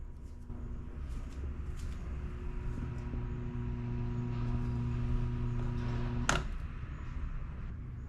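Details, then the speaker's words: Electric fan whose blade won't turn, only hums: a steady motor hum ending with a switch click; the shaft is seized by rust. "vamos a ver cómo solucionar este problema que el ventilador no gira solo zumba ahí lo"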